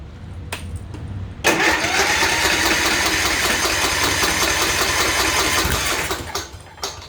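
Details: Kohler-powered Troy-Bilt Courage riding mower that turned over but wouldn't start, after a carburetor quick fix disabling the fuel solenoid: short crank, catches at once and runs steadily; now starts normally.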